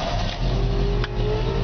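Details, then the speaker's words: 1997 GMC XT55 forestry bucket truck with manual clutch, just started; smooth even V8 idle, steady low rumble, no knocks or misses, about 50-some psi oil pressure at idle, rising to about 60 with throttle. "as you can hear she came right to life we're sitting there at about 50 some pounds of oil pressure at an idle"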